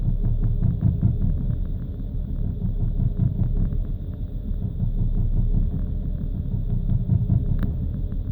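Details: BMW engine idling cold: deep low rumble with uneven throbbing pulses and occasional stumbles; rough idle and stuttering caused by faulty fuel injectors.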